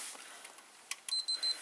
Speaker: This model, when you power it on it beeps.